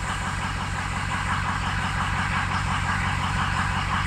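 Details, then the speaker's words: Ford Excursion diesel at idle with a lumpy, uneven beat and some cylinders pulling harder than others. Compression sounds good, but a couple of cylinders read low and cylinder two is over-fueling, likely compensating. Injector imbalance; a full injector set is recommended. "okay we got a couple low ones two is over fueling which makes me think it's compensating for something"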